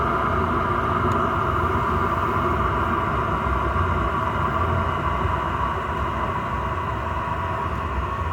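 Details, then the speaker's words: Chinese diesel air heater running normally at full heat, roasting hot, after restart following four to five months unused; steady, even roar with constant mid-pitched hum, no stutter or surging. "all the best yes that's roasted now that is cooking"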